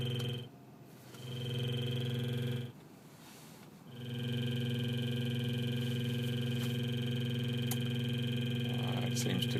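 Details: Radio after replacement: steady electronic noise tones on AM and FM only, cut out twice, then return unchanged; cause unknown.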